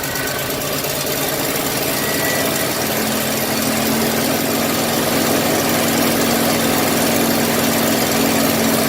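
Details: 1982 Ford 460 V8 in an RV, first start after sitting a long time with a rebuilt carburetor fitted: smooth, even idle with steady pitch and no knocks or misses. Normal idle.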